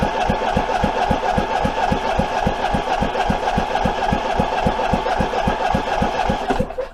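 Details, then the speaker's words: Troy-Bilt 23 hp V-twin, abandoned: loud, uneven popping about 220 a minute, running rough and kicking back; flywheel out of time, missing Woodruff key let it spin on the crank, no spark when due; internal damage found. "that's why we weren't getting spark when we were supposed to and that's why we had a kickback because our flywheel was out of time no woodruff key and that thing was spinning around on the crank some of the time"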